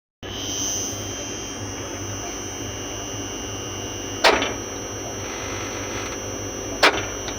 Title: Contractor Humming Sound